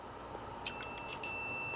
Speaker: I heard the relay click and it activates. So our broil relay is fully functional.